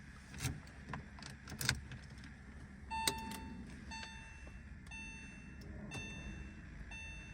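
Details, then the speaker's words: Porsche 996 911, crashed and neglected, first start attempt in over a decade, at key-on: key rattles, clicks and dash chimes but no short priming whirr from the fuel pump, so no fuel is being delivered. "I don't hear a fuel pump turning on we might not be getting fuel yeah I don't think we're getting fuel I don't think we're getting fuel at all"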